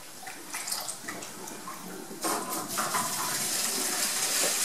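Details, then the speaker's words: Buehler Simplimet 2000 mounting press in its cooling cycle: steady rushing water with a burst of steam hiss from the waste pipe as cold water enters the hot cooling jacket, which is entirely normal. "you all get uh an issue of steam from the waste pipe this is just because the cold water is going into the hot cooling jacket to cool and turning to steam it's entirely normal"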